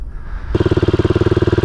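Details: KTM motorcycle back from a tire repair that had idle and fuel delivery problems: catches and settles into a quick, even thump of about seventeen pulses a second without stumbling; steady, normal idle.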